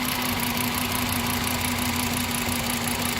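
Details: 2010 Volkswagen Jetta 2.5 litre CVT with new number three ignition coil and NGK Platinum plugs, at idle: uneven idle with a steady lopsided stumble about once a second under constant hum as the number three injector is unplugged, killing that cylinder.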